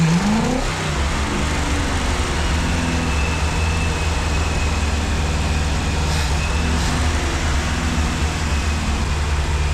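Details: 1965 Ford 289 4-barrel V8 for a 1955 Ford pickup, now with exhaust fitted, warming toward about 180°F: uneven low-speed rumble, the beat wandering and never settling to a steady idle; a carburetor rebuild kit is on order.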